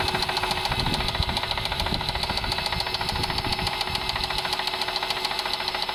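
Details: Mercedes W210 E280 4MATIC at idle: sharp metallic knock about two beats a second, steady and regular; internal engine knock, owner has suspicions but cause not yet found.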